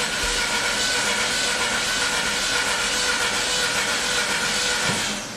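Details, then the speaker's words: 2012 Mini Cooper S turbo crank no-start, water in oil, on jump pack: cranking has uneven lopsided beat under loud hiss at about four turns a second; one cylinder not compressing, relative compression test next. "okay so not a good sound first check let's put on the amp clamp and do a relative compression test"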